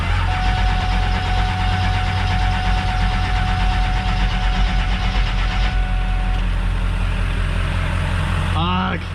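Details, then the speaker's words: 7.3 diesel truck after a new 2-gauge battery cable to the starter: a low, laboured, slow cranking drone that never catches; sounds like weak batteries (suspected). "see if she cranks that just sounds like weak batteries that sounds like weak batteries weak batteries okay"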